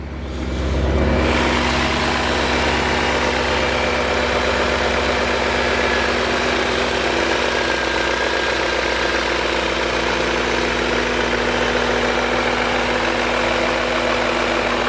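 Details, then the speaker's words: 2000 BMW E39 M5 with the hood open, idling between cold and warm: a loose, uneven rattle at idle from the VANOS, whose seals don't hold oil pressure at low pressure. "that's the Vanos under low pressure at idle um Vanos is not actually doing anything right now it's not advancing timing so at that low pressure the seals don't hold the pressure and that's where rattle comes from"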